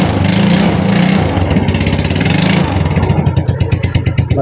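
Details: Yamaha Mio Sporty scooter that would not start, after splicing the chewed-through high-tension wire and refitting the spark plug cap: engine catches and settles into a steady, even putter with no misses; runs normally.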